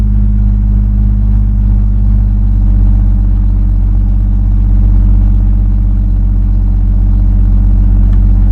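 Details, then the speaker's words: Rover P4 at idle: deep steady rumble with a rough puffing edge; silencer joint leaking. "joint this is the one I'm worried about under here yeah they're still blowing from there a bit I'll have to tighten it up a bit more"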